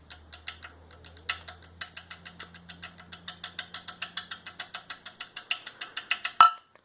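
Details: Chrysler 2.4L PT Cruiser engine: sharp metallic clacks, five or six a second, as the balance shaft chain slaps inside its housing on severely worn guides, with lots of chain play; mimics top-end valvetrain knocking.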